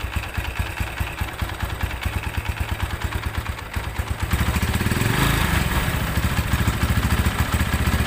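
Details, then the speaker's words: Tiger Evo single at idle: loose uneven clatter from the clutch cover area that gets harsher when the clutch is pulled instead of quieter; worn clutch plates found. "Oke ee di sini suara e koplingnya bukannya adem kalau di kopling malah makin kakak gitu kemudian dari area silinder kopnya ini terdengar suara keletak gitu"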